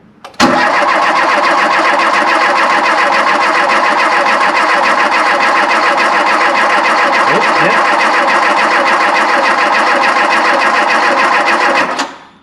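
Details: Volvo 340 abandoned 25 years, first try on fresh fuel after tank ran dry: about eleven seconds of continuous, slightly uneven cranking with no firing; owners suspect air in the fuel line, fuel only dripping.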